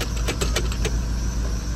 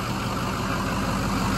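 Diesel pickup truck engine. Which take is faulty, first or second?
first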